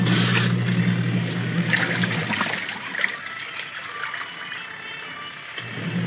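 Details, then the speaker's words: Washing machine after gearcase pulley repair, tested with water: steady low motor hum under sloshing water, spin smooth and even with no grinding or knocking; no longer noisy, spinning well again. "maingay Ayan guys at okay na yung ating washing machine maganda na ulit um ikot"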